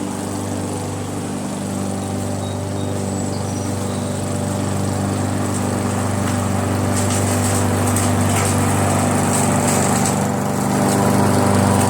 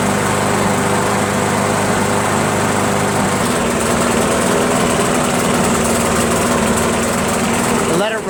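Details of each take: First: Briggs & Stratton mower engine with a Pulsa Jet Prime plastic carburetor, after its diaphragm and gasket were replaced: a steady, even drone with a fast regular beat and no surging, now running perfectly. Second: Briggs & Stratton Pulsa Jet Prime mower engine, before repair, left running about two minutes: the steady drone turns uneven, hunting and stumbling, running rough; carburetor diaphragm and gasket to be replaced.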